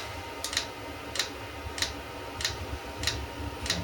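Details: eBay 8 kW Chinese diesel heater at startup, fuel pump engaging about 30 seconds in, exhaust still cold, before ignition. Sharp light ticks about every 0.6 s over quiet background. Normal fuel pump priming.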